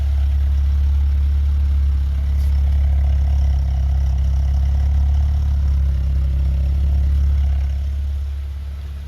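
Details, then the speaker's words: 1982 BMW 320i, 253,000 miles, after cleaning injectors, fixing a vacuum leak, cleaning the idle air control valve and a reconditioned battery: steady, even low hum with no misses, knocks or hunting; idles smoothly, healthy. "fixed the vacuum leak cleaned out the the air slide valve or also call like an idle air control valve and it sounds great it sounds great I'm absolutely thrilled right"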